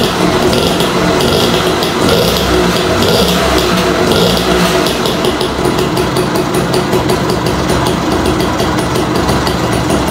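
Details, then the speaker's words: Restored 1958 DKW Hummel 50cc two-stroke, started from very cold: crisp, steady idle with a sharper exhaust note and smooth engine, no knocks or misses. "nih suaranya knalpotnya lebih garing suaranya mesinnya cukup halus ya"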